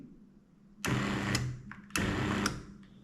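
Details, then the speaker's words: BTX classic 120 V drapery motor 101 4045 with mechanical limits, being paired to a five-channel wall switch: two short, clean, even whirring bursts about a second apart as the motor jogs; normal pairing response. "And let's do stop button until motor jogs. Okay. And we can pair to any channel that we want it to be on."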